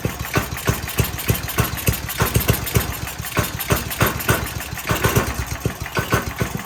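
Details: Briggs & Stratton 5hp engine on a generator, after reassembly and refitting the exhaust: it fires in uneven, lumpy bursts and won't keep running. The owner suspects the governor arm position, to be adjusted by loosening its nut.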